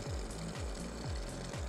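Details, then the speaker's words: Suspected failing PC water-cooling pump: a low, heavy, rough, uneven hum throbbing about twice a second; the flow meter still spins fast with good flow, but the owner thinks the pump is starting to go out. "that's my pump and i think it's starting to go out the flow meter is spinning pretty fast and you can see i still got good flow coming out of it"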